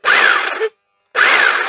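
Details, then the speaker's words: Old power tool from a storage shed, with a rough cord, tested on an appliance tester; two short bursts of a harsh raspy motor whine that rises and sags, sounding very dry, like worn unlubricated gearing, and judged unlikely to last; background construction noise. "Well, it does work, but it sounds very, very dry. Yeah, I don't think that would last very long at all."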